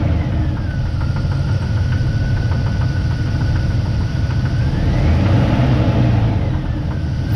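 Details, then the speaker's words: Engine idling rough and revved, heard via mechanic's stethoscope: deep, heavy knocking about four times a second; suspected rod bearing, not yet confirmed. "well not good not good at all i'm gonna do a little poking around with a stethoscope again uh just to see if i can hopefully find it something else but i've got a real suspicion that it's a rod bearing"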